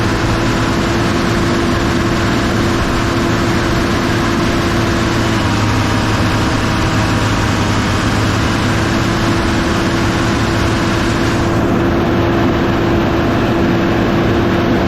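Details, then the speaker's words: Excavator diesel running after repair, deep steady drone with a faint turbo whistle heard in the cab, making boost and revving more responsively; smoke is cosmoline burning off the manifold; engine sounds healthy. "well hot diggity this thing sounds awesome uh you don't have to worry about that smoke that's that cosmoline burning off the manifold like i predicted but it sounds great you can actually hear the turbo whistling now in the cab so it's actually making boost"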